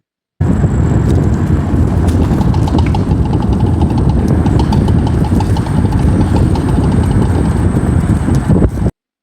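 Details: 2nd-gen Toyota Prius driving over bumps: irregular knocks and rattles over road and wind rumble, heard with the window down; a worn, leaking rear strut clunking, later fixed with new rear struts.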